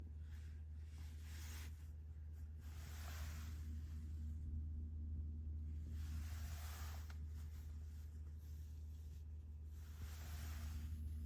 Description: Volvo XC40 (2024): buzzing noise issue from the dash panel when changing the interior lighting mode (dimming).